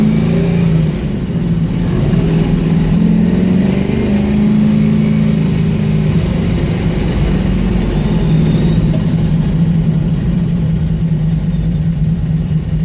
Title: Got a exhaust leak but the bitch perform